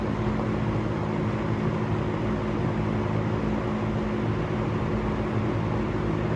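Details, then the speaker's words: Restored harvest-gold vintage fan (the "golden" 47) test-run on high after restoration: a steady, even motor hum with a constant low tone and no ticks, rubbing or wobble, running nicely. "We'll turn it on high. Well, that runs nice."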